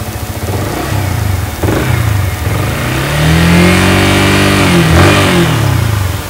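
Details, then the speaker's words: Used Yamaha R15 V3, rated 95% condition, aftermarket chain: single-cylinder starts and holds steady around 1800 rpm idle, then revs cleanly up and down with no knocking or exhaust smoke; normal idle and revving. "Oke, jadi kalian bisa lihat sendiri nggak ada yang ngebul di bagian knalpotnya, suaranya juga masih jernih, langsung stabil, nggak ada yang litik juga."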